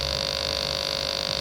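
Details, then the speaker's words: Sega TeraDrive with its bad power supply connected, at power-on: a steady high electronic whine with a buzzy hum underneath, no pitch change. The failing supply sags under load, the 12 V rail dropping to 10.65 V. "Oh, there's that noise. So the 12 volt rails dropped right down 10.65 and dropping."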